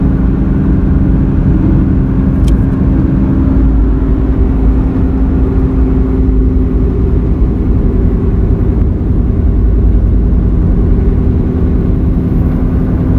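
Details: Car roaring/helicopter noise while cruising through right and left turns, loud on left turns; front wheel bearings replaced (left driver's side suspected) but deep steady hum-roar persists, so tires suspected; defective tire causing roar.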